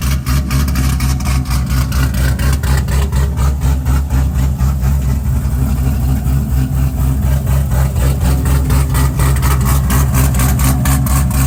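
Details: Cadillac CTS-V first gen, freshly built LS3 with custom 13:1 compression, CNC-ported top end, E85 build, first startup; deep lumpy V8 lope about four beats a second, no misfires or knocks. Normal idle.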